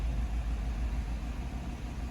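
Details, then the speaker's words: 2015 GMC Sierra 6.2 V8 after replacing a broken valve spring: smooth, steady idle settling down with AC on, no ticking or tapping, fuel trims relearning; repair successful. "let her run for a minute oh yeah she's idling down now that's good we I don't know why I keep showing you can show it right here everything sounds good no tapping AC's going it feels good"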